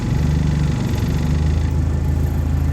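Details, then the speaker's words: Argo 8x8 with a glow-plug engine, cold-morning start: rough at first, then given more idle it settles to an even, low idle with a steady pulse and no misfire while warming up to temperature. "sounds better. Alright, we'll let everything come up to temp and we'll head off."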